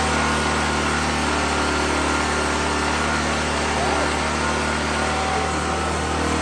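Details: 2014 Black Max generator (97 hours, carb work after running issue), cold weather, running a grinder: steady, even engine drone with constant hum, no misses or surging under load; runs smoothly.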